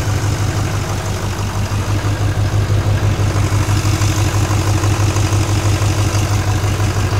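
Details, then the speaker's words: Modern diesel truck idling with oil cap off: loping idle with heavy low chuff about three times a second, rhythmic puffing of compression out of the oil filler and smoke; dead miss from a holed piston, crankcase blow-by. "You can see the rhythmic puffing coming out of there. I didn't try to hold the cap there, but you can feel the cap. It's just puffing that cap."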